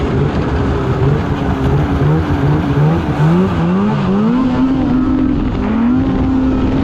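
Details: 2016 Polaris Indy 600 SP two-stroke snowmobile at full throttle after plugged fuel filter fix (previously couldn't exceed 6,500 rpm): strong steady howl climbing smoothly, hitting about 8,000 rpm as it should; 1/8 mile at 65.93 mph; healthy full-throttle run.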